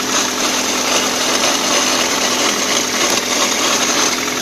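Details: 2004 Toyota Corolla CE, manual, clutch at 146,000 miles, cold start in neutral, clutch pedal released: busy, rough whirring rattle over the engine hum; gone with clutch pressed and after warmup; owner hopes throwout bearing, not transmission.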